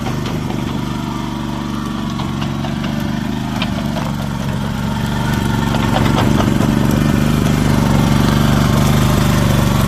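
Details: Old Japanese-import Komatsu PC01 (PT01-1a) mini excavator with a four-stroke petrol engine, 1,116 hours, in a systems test. Steady small-engine beat with a hydraulic whine rising as it works; runs evenly, normal running under hydraulic load.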